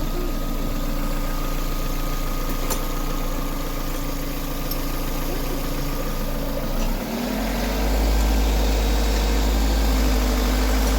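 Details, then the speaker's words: Car engine with a knock after a gearbox/CVT replacement, fixed by adding two washers under the starter because the plate between gearbox and engine had been left out: a steady, even idle with no knock, picking up cleanly on throttle; normal idle. "все причина ясна подкинули дві шайбочки под под стартер і в бо міжду коробкою і мотором не поставили прокладки"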